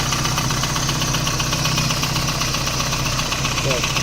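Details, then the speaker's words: VAZ 2109, warm engine near 90°: steady metallic knock about four per second at idle, louder when cold; mechanic ruled out cylinder head, owner suspects a connecting rod knocking in the block. "Такой у нас звук. На прогретую. На холодную он еще сильнее. Вот слышите? Мне кажется, это шатун где-то звенит. Скорее всего."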